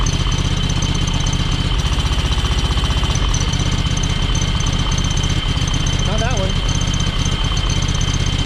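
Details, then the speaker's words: John Deere X585 lawn tractor twin: lumpy idle pulsing about four times a second with uneven beat and intake popping, running on one cylinder; spark plugs tested fine, owner suspects valves need adjusting; misfire, cause unconfirmed. "So yeah, I'm not sure. I would almost think it's the valves. So, but the fact that both spark plugs, they seem to be fine. You know, the fact that you can pull the plugs and it runs on, clearly runs on one cylinder."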